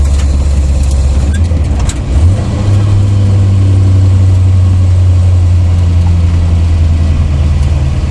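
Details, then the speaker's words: 1982 Chevrolet C30 one-ton ramp truck on test drive after front wedge-style brake caliper repair with new wedges and spring clips: steady low drone, caliper rattle gone. "I'm confident he's fixed I didn't hear I mean before it'd be around around around around a rattle real bad annoying bad"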